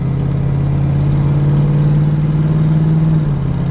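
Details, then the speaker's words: 1973 Camaro, driver-restored, while driving: steady engine drone easing smoothly through shifts with no slip, flare or clunk; transmission shifts perfectly, engine runs great. "You hear the transmission just shifts perfect. The engine runs great."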